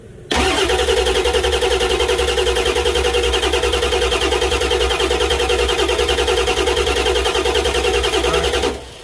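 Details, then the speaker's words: 1999 Ford F-250 7.3 Power Stroke diesel, codes P1211, P1212, P0340, towed in no-start: starter churns about 3.5 pulses a second for eight seconds, never fires; oil pushes out of the number three injector bore, whose top two O-rings blew, a high-pressure oil leak. "so as i showed you when we were cranking it over you could see how you could see oil pushing up out of the bore of the number three injector and so that told me right there we have a high pressure oil leak there"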